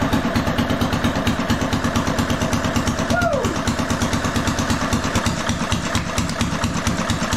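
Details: RamX hydraulic trench compactor with a transplanted military surplus small diesel, just started with ether over the intake, gives harsh, very loud rapid barking while running steadily from an open port with no muffler fitted.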